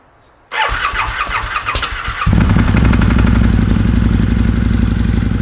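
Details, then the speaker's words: 2003 Harley-Davidson Anniversary V-Rod, liquid-cooled, during service: starter whirrs about two seconds, engine catches and settles into steady, even idle with no ticking; sounds very good once warmed up. "it does sound very good once it's warmed up and I get the coolant to start moving around in the system"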